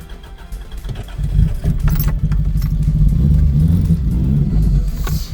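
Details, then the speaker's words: 1994 Mazda MX5 after a bad connection was re-soldered, having misfired badly before. Steady low rumble at idle with even firing, no misses or knocks; it now sounds healthy and smooth. "And again, that sounds much nicer than the other one."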